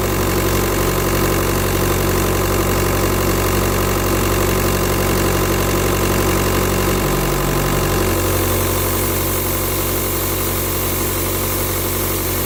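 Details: Idling engine with a constant airy hiss over it, like a boost or vacuum leak; turbo tested with VCDS without locating it, owner suspects pressure loss somewhere (turbo, EGR or vacuum pump suspected), source unconfirmed.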